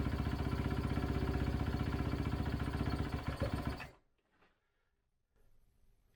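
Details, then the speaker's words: 2011 Kawasaki KX250F single, kick-started after an idle-issue repair. Slow, lumpy idle of about four beats a second that fades and dies. Idle adjuster is fully out and idle is still too low. "definitely idling this is much better than it was however I've got this adjuster absolutely all the way out as far as it can go and it's still just a tick too low"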